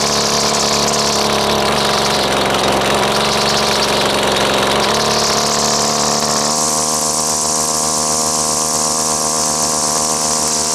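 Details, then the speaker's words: Husqvarna two-stroke string trimmer, only running on choke: high raspy buzz that shifts pitch and roughens; high and low mixture settings and idle not right. "let's uh let's start it back up because it's obviously got problems with the uh high and low settings and the uh idle is not right not right"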